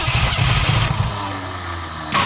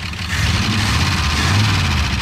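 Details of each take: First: 1968 Ford F100 Ranger on its first start in years, after a stuck engine and burning off mystery oil and smoke: a deep, uneven rumble that dips and labours against the drivetrain because the transmission was left in drive. Rough running under load. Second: Abandoned 1968 Ford F100 Ranger V8, first start in many years after being seized: steady, even low rumble, no misses or blow-by, slight valve clack suspected; smooth, healthy idle.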